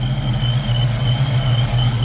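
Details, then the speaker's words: 1995 Mustang GT with a Paxton Novi 2000 supercharger at 8 psi, after an oil change (20W50 with Lucas) for low oil pressure, idling 10–15 minutes: steady high supercharger whine over an even, low idle rumble, no knock or ticking; normal. "But when you look under here, you can hear the the uh Novi 2000 running."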